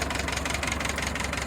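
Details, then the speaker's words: Ford tractor idling before Marvel Mystery Oil added, owner suspects sticky valve on cylinder one (that cylinder slow to build compression): fast even clacking ticks over steady idle from the valve train; valve job planned. "and you can hear the noise it's making I think that's that that clacking noise is related to the valve train"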